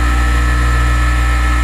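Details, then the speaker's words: Newly acquired bench grinder, no bearing play or clunk, unclamped on bench: even, constant motor hum with clean steady tone, no rattle, wobble or rumble; normal running. "i can feel nothing no clunk of any amount no play at all in the bearing and it spins just beautiful and i want you to hear what it sounds like when i plug it in"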